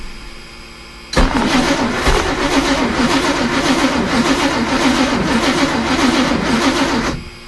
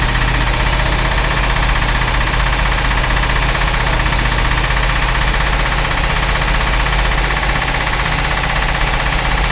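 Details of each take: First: Chris Craft Commander 410, other 454 marine V8 running on old gasoline of unknown age (possibly 5–10 years) from the boat's tank at about 1500 rpm: uneven rattling knock over the engine note; owner suspects detonation from the old gas. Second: Chris Craft Commander 410 port 454 V8 after a ten-year layup, with a rebuilt carb and timing at 8° BTDC: loud, steady, even rumble without misses or knocks; runs well, no rebuild needed, though one exhaust manifold leaks water.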